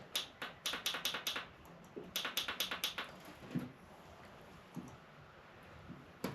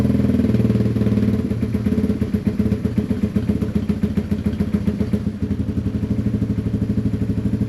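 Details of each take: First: Yamaha TW200 that sat for a long time after being stolen, dead battery, on a jump box with choke on: bursts of rapid clicks with no cranking; starter solenoid suspected of sticking. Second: Yamaha TW200 single-cylinder, long-sitting, running on half choke: fairly even, steady thumping at about four beats a second; steady idle on half choke.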